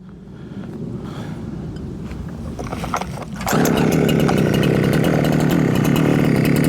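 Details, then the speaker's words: Huyosen 6524 Husqvarna 365 clone chainsaw free revving after idle adjustment, with no rev limiting; tach showed above 13,000 rpm and the top cover pops off at high rpm. It snaps up to a high, steady scream without stuttering; a clean, healthy rev. "well it doesn't seem to be Rev limitated at all it also seems to be the uh um air injection seems to be working really well because every time it gets to higher RPMs this top cover pops off"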